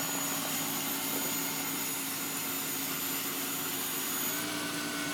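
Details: Thin, steady high whistle over a quiet fast warm-up idle, heard through the closed hood, cutting out near the end as warm-up revs drop; source unknown.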